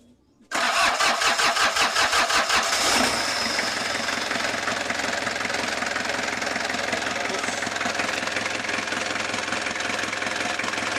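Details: Kia Bongo diesel after starter motor cleaned (it only clicked before, no cranking): strong steady cranking about two seconds, then catches and settles into even rhythmic idle; healthy start, though battery suspected weak.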